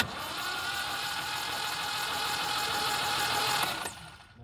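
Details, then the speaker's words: 1971 MGB engine, stored about 20 years, cranking on the starter with coil jumped from a harness: even whir with rhythmic compression pulses but never fires; no spark, new points and condensers to be fitted. "alright so far got no spark let's go ahead really quick through a new set of points two condensers in here"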